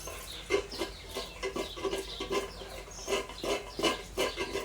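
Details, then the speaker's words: 1992 Toyota Tarago front strut, about two years old, removed with coil spring off and worked by hand: irregular squeaky creaks and clunks about three per second; internal damper failed, not leaking but compresses easily and rebounds without resistance; top mount fine. "So it's not the top mount. We do want to make sure that that's on properly, but it's the strut itself that's gone kaput. Even though it's functioning, it's noisy."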